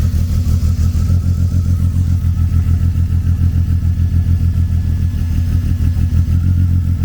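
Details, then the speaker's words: BMW E36 convertible with a misfire: deep uneven lumpy idle that gets rougher when the cylinder 2 ignition coil is unplugged, showing cylinder 2 is firing; coil-by-coil test to find the misfiring cylinder. "So if you pull it out and it gets worse, then you know that cylinder works. Number 2 got worse."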